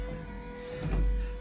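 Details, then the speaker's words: 1967 VW Beetle with its original wiring harness revived, no ignition switch fitted and the circuit completed by hand: short, steady low electric whir with a faint sweep as the windshield wipers run. Normal wiper motor operation. "Because, you know, I do not have ignition switch, like I said, but if I complete the circuit here, you can hear the windshield wipers are working."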